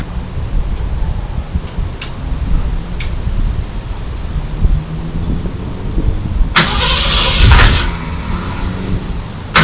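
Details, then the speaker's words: 1964 Ford Falcon Sprint, first run in 12 years, just lowered to the ground: engine catches and settles into an uneven, lumpy, stumbling idle, running a little rough. Owner suspects a miss. "I'm not gonna lie, she's running a little rough. Sounds like she's got a miss or something happening"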